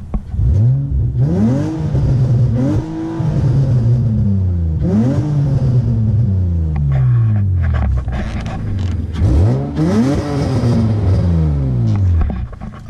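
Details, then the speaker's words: 2005 Nissan Altima SE-R with no catalytic converters, no resonators and aftermarket mufflers: repeated revs give a loud, raspy, somewhat high-pitched exhaust note; loud exhaust from missing cats and resonators. "to about 4000 it sounds actually pretty pretty good but I think a high-flow cat - no rez no mufflers would sound a lot better than it is now where it's no cats no resonators and it's got to ricey mufflers"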